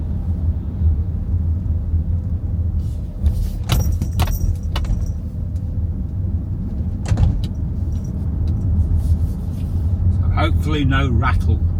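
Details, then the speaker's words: Kia EV3 GT Line S after one year, driven over speed bumps after spraying silicone lubricant on the tailgate lock mechanism: low road rumble and thumps, no tailgate rattle anymore. "Anyway, you can't hear it now. It's nothing like it, you know, it's not there anymore."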